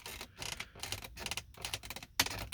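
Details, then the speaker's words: 2011 Mercedes-Benz R350 interior over bumps: irregular light plastic clicks and rattles like a disc about to eject, from a loose trim area. "so something keeps making a noise coming from this little area here it sounds like a disc about to eject"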